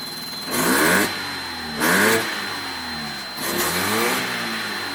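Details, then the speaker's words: 1985 Mazda RX-7 GSL with carbureted 12A rotary, hot, after leaning the mixture a further half turn: a few quick blips, then a fairly even, steady idle; now healthy. "that's a healthy layer idle if I dare say so myself"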